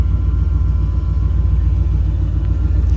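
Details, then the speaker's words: 1990 Chevy K1500 after a gauge cluster swap: a deep, even rumble with no knocks or misses as the idle drops below 1,000 rpm and keeps falling while the temperature gauge starts rising, which is a normal warm-up idle. "oh we're idling below a thousand she's coming down that's good kept gauge starting to come up"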